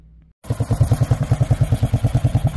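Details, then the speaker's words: Honda XL185 after a custom brazed jet was fitted, needing choke to start: catches into an even single-cylinder thump, about nine beats a second, no misses and no smoke. Normal idle. "idle no smoke it needed choke to start"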